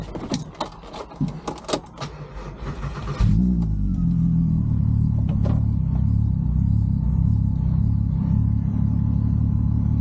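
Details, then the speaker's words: VW VR6, after full timing chain and guides replacement (old chain was completely knackered, causing cam correlation fault), plus clutch and dual mass: a few clicks, engine catches and settles to a steady even idle with no chain rattle; runs sweet. "I've done the timing chain on it. Runs absolutely sweet."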